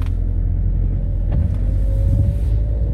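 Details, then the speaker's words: Car after mass air flow sensor replacement and reset via diagnostic tool, having run slightly rough on the previous start: engine catches and settles into a deep, even rumble without stumbling; normal start. "là elle se lance normal"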